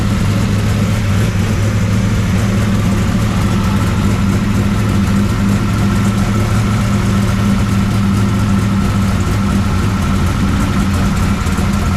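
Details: 1969 Camaro pro street V8 after Holley carburetor rebuild and ignition timing adjustment; deep, even idle with steady lope, no knocks, ticks or misses; healthy, runs pretty good, valve lash still to check.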